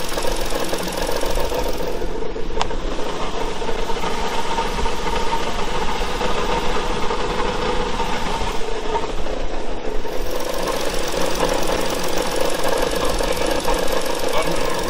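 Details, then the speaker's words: 2013 Ford Explorer idling with transmission fluid leak: steady low knocking through an even idle; noise source unclear, owner suspects it may be the transmission rather than the engine, to be checked after engine removal. "so here you go she's running so i know y'all can hear that there's a noise coming from somewhere"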